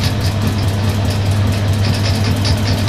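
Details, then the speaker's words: Suzuki GS550 converted to fuel injection with second-hand Triumph TT600 parts, test-firing the injectors off the crankshaft position sensor while spun at 560–570 rpm: crisp, even ticking a little over twice a second above a low motor drone; normal injector firing. "wow I can hear that definitely definitely uh working [Music] [Music] the injectors are definitely firing"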